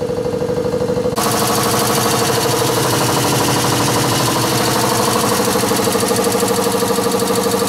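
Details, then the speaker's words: Newly replaced air compressor, heard through the wall behind which it sits, running from about 50 psi after a suspected tripped breaker. A steady rapid pumping chatter about three beats a second with a sustained tone, not shaking; normal running. "so that compressor is just behind this wall here it's not shaking nothing and I can just hear it there so it's not too bad"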